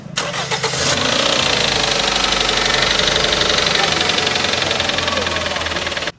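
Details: Toyota GLi after someone's oil change went wrong: engine catches and settles into a fast run with a dry, rapid knocking throughout; cause not pinned down.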